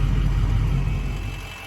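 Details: Ford F350 6.0 diesel, leveled truck, oil and coolant temps checking close: steady, even low diesel rumble at idle with no knocks or misses, fading off; healthy idle.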